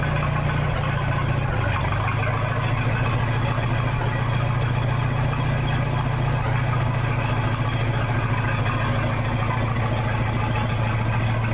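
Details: 1966 U302 after corrected rebuild issues, out under its own power: loud steady low rumble at even idle, louder with no muffler, no knocks or misses; normal healthy idle.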